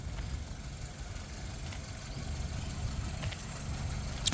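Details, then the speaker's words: 2006 Hyundai Getz GVS petrol, 78,000 km: quiet, low, even idle rumble without ticks, knocks or stumbles; seller says very smooth, normal idle. "బండి engine పరంగా ఇప్పుడు running లోనే ఉంది sound కూడా మీరు వినొచ్చు చాలా స్మూత్ గా ఉంటది"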